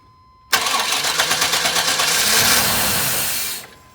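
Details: Chevy with distributor, after replacing fuel pump, filter, relay, cap, rotor, crank and cam sensors and battery: starter spins evenly about three seconds, never fires; security light stays off, cause was the anti-theft system.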